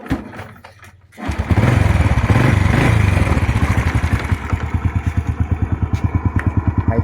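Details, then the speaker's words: Honda Wave 100 (2005) single, kick start catches after a second, light kick enough; no slipping or overheating, quiet and smooth: even soft putter about three beats a second; normal idle. "บ่ลื่นบ่ฮ้อนใส่งานยาวๆเลยนะครับตัดเบาๆก็ติดนะครับเครื่องเงียบๆนิ่มๆเลยนะครับ"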